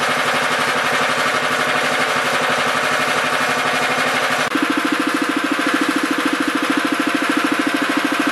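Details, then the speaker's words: Honda FR600 5.5 hp tiller of unknown year, started on choke after sitting two and a half weeks: a steady single-cylinder putter, smooth with no misses, no oil burning. It bogs when tilling without half choke; the owner suspects the carburetor. "see how it starts started right up it's a honda it doesn't seem to burn any low or anything"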